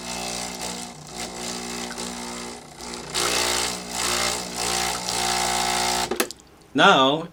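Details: Breville Barista Express BES870 espresso machine, test run after installing a dimmer mod: a steady buzzing hum at an even, unchanging pitch with no rattle or stutter. The vibration pump runs smoothly and the mod works.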